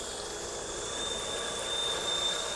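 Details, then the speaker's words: Small farm garden/yard water pump after repair of pressure loss: strong steady rush of water with thin constant electric whine, no gurgling, straining or surging; pump delivers full pressure. "The pump does sound a little different. It doesn't sound like it's kind of gurgling or straining or anything like that."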